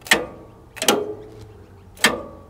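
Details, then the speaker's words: John Deere X300 mower during fault finding for no deck engagement with a suspected faulty ECU: three sharp metallic clacks, each with a short ring, a crisp clean pull-in; deck PTO clutch engaging properly. "Beautiful. That that clutch is working."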